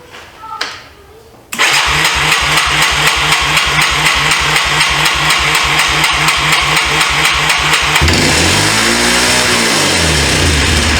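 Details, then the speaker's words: 1995 Yamaha Timberwolf 250 ATV with a new carburetor, choke on: single cylinder catches and races at high steady speed instead of idling; the throttle stuck wide open, traced to the carburetor top. "Is it idled all the way up? I think the idle was turned all the way in. That wasn't good."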